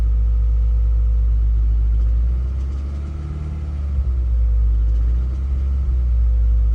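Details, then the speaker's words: Subaru idling, sound recorded outside: heavy low rumble with a steady knock about four times a second, swelling and easing with revs; owner says knocking started yesterday, suspected rod knock, origin unconfirmed. "yesterday my car started knocking is that actually knocking yeah really could you hear it"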